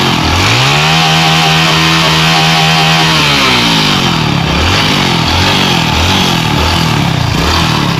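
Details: Honda Pop 110i single-cylinder after replacing failed camshaft bearing, worn camshaft and tensioner kit: revs up smoothly, holds steady, then quick blips; even firing with no knocks or rattles, engine noise gone.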